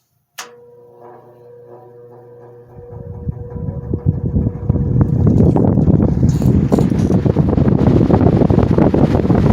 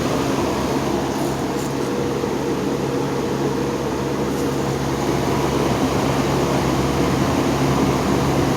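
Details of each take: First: GE motor after repair, motor halves reseated on the housing: hums, then a rough fast crackling bearing chatter rises over the air noise as it comes up to speed; better than before, spin-down time decent. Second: General Electric motor after defect repair, running on low speed in the second switch position: smooth even hum, steady low tone, soft air rush, no rubbing or rattle; motor running quietly.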